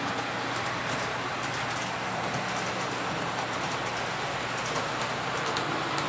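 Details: Athearn P42 model locomotive no. 156, test run after lubrication while hauling 3 cars as a light load: steady even motor hum and wheel rumble, no catches or surges. Runs smoothly, considered fixed.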